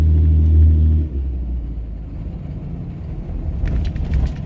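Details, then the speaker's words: Diesel truck, with a zero rail pressure fault, free-revs up and bounces down on its own in neutral, an unsteady hunting surge; owner suspects leaky injectors, possibly damaged by long running on low rail pressure. "but it's like free revving itself like up up up up up up and then it'll bounce down so I that sounds like a sign of leaky injectors"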